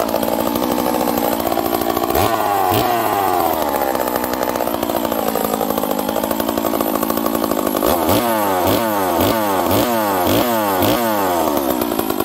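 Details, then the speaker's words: Stihl 038 chainsaw, rebuilt, warm after first one-pull cold start: crisp steady high idle with clean throttle blips, huge compression and crisp ignition timing, running healthy. "this thing's got huge compression and uh it's got a crisp ignition timing on it"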